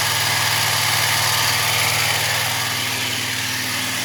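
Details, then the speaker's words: Wright Stander ZK mower after hydro pulley replacement: steady, even engine note with a constant high-pitched whir from the deck, no knocks or squeals; runs smoothly though some whirring remains. "It's pretty smooth."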